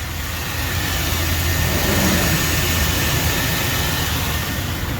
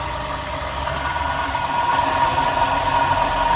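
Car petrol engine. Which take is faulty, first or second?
second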